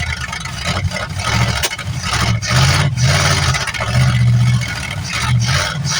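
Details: 1973 Plymouth Fury III V8, off the road 7 years, cold on bad old gas: an uneven, lumpy low idle with occasional stumbles, still spitting and sputtering. Rough running.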